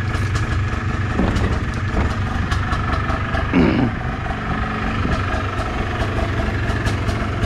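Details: 2001 (possibly 2002) Polaris Trail Blazer two-stroke after new air or fuel filter and pull cord, brake and transmission fluid work: steady, even burble at idle with no misses, knocks or surging; sounds healthy.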